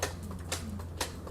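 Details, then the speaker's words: Piper Cherokee Six 300 aircraft engine after several years sitting, fresh oil added, prop pulled through by hand: crisp metallic snaps about every half second as the magneto impulse coupling releases normally; it turns smoothly. "Turns nice and smooth. Sounds like the impulse coupling is impulse coupling, so that's a good sign."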